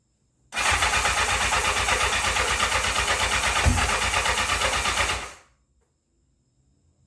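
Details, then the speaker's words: 1984 Honda CB700SC Nighthawk in for carb issues; reportedly started before but wouldn't idle. On full choke, the starter churns steadily for about five seconds with no firing, then stops. Cranks but no start; gas smells sour, fuel delivery suspected. "the guests don't smell so hot so yeah I might not want to might not want to start or run too good right now smells a little sour"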